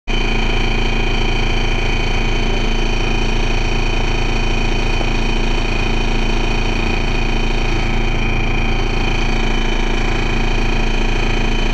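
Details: First Manchester Dennis Dart SLF bus 40366 (R240SBA) diesel: lumpy, uneven idle throb about four pulses a second with a steady whine above; really bad rough idle.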